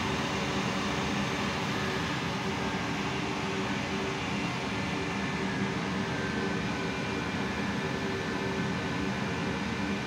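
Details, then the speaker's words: Hamworthy Modumax Wessex 220 boiler showing fault E151 after reset: only steady, even fan rush with faint hum for ten seconds, no light-off thump; fan runs but the unit never attempts ignition. "so we have here the fan motor starting up but the unit [Music] is not even going to attempt to light the fan is running i'm not sure if you can hear it"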